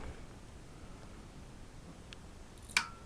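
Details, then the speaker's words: LG 50PC1DA 50-inch plasma TV, power button pressed: one faint click, then a sharper relay click as the set turns itself off, with no picture or sound. Relay clicks on then off, no power-up; suspected common IPM failure. "it's just press the power button will hear the symptom clicks on the relay"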